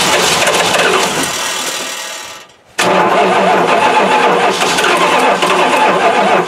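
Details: Mopar 360 V8, not run in three years, throttle was frozen, fuel poured on carburetor, coil push button held: loud cranking with a brief catch, sudden drop, then hard cranking again; fires weakly on poured fuel but won't keep running.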